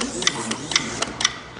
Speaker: So, that click is the relay on my controller at full throttle.